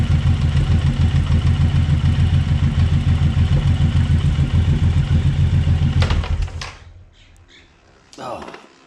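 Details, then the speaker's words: Suzuki Boulevard M109R (1800) on a stand, idling: heavy regular knocking about three times a second as the engine visibly rocks, then shut off. Worn front engine mount rubbers. "yeah so you can see the engine movement you could actually hear that knocking which is shows that the rubbers worn"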